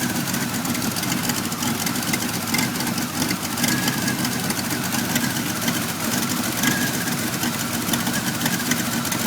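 Engine idles unevenly with loose, irregular pulses and a ragged note instead of a steady beat; rough idle, cause not pinned down.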